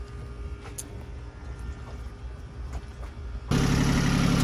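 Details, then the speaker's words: Sailboat diesel engine running again after not starting: low rumble, then it catches and settles into a steady, even idle clatter, running smoothly. "Hear that sound? That's my engine running. That's my engine running."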